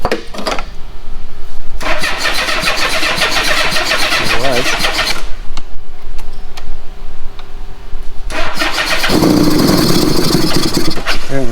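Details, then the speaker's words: Old Honda Goldwing with four carbs that the owner suspects are gummed up and not passing fuel; choke position uncertain. Repeated cranking bursts catch and run briefly, then fade; it runs a while only on starting fluid, suggesting fuel starvation. "I don't think those carbs are letting any fuel. It runs quite a while on starting."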